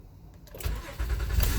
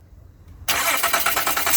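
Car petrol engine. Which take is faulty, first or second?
second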